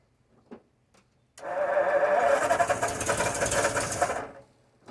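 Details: 1952 Ford F-1, first start in 28 years, carb rebuilt, PerTronix ignition, timing being adjusted: about three seconds of steady cranking, turning over evenly but never catching; out of fuel, having run on leftover fuel.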